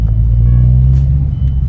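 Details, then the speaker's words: Mazdaspeed 3 after installing Whiteline rear sway bar and adjustable end links, driving: only steady low road rumble, no thumps or clunks over bumps; earlier rear clunk blamed on bad end links, now gone and everything feels tighter. "see let's go around this way see if I hear a clunking noise oh dude it was definitely the inlinks Everything feels tighter"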